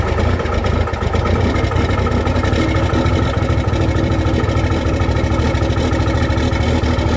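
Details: Cummins diesel cold start in freezing weather with grid heaters disconnected, camera at rear of truck: loud, loping, uneven idle with shaky firing, engine clearly not happy; cold start rough idle.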